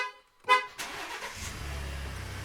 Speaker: as you heard there, I didn't quite get to it in time and the actual alarm went off. But as you saw, as soon as you start the vehicle, it will turn the alarm off.